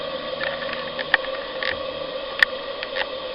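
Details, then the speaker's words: Pendle Steam Boilers 28mm gas boiler burner, lit inside the flue and turned up on a cold boiler (3 degrees, 0 psi): soft steady hiss with a few light clicks, no roaring or popping. Normal, evenly burning burner. "Turn it up. You hear a little bit of noise, but believe me, that is silent compared to most."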